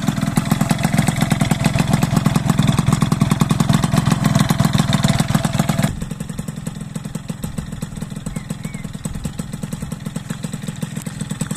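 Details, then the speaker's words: Piaggio Ciao 50cc two-stroke with Athena engine and a modified intake airbox built to quiet the intake: fast, steady putter around 3.5 beats a second, even rhythm, clean healthy idle. "Déjà au niveau du ralenti, écoutez-moi ce ralenti, déjà. Comment qu'il est merveilleux."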